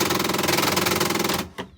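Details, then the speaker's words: HP LaserJet M1005 printer at power-up: fast, harsh clattering rattle for over a second, then it stops; noise from the rear gear assembly, whose plastic drive gears wear with long use. "इसमें आवाज़ आ रही है जो कि इसके gear assembly की आवाज़ है। तो हम इसे खोल के बताते हैं कि ये गियर असेंबली का काम आ रही है।"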